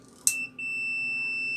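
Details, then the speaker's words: Angle grinder that won't switch on, switch tested with multimeter: one click then a clean steady continuity beep from supply line through one side of the switch, that side good; the other side is faulty; continuity beep, switch contact good. "este con s desde la línea alimentación hasta asia hacia acá es esta buena esa parte"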